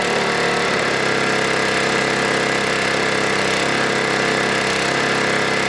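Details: Warmed-up snowblower engine, high-idle screw on the throttle arm being turned in with a Torx T10 to check for over-rev, then let settle: steady buzzing drone that shifts pitch early, then holds even as the high idle is trimmed back.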